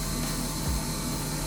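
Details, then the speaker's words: Honda CRX drag car with a redone, relocated electric fuel pump, powered directly with a jumper wire during a leak check. Continuous steady buzzing whir without surging or grinding; fuel moving in the tank with no leaks. "it's moving in tank good there no leak that's what I'm talking about"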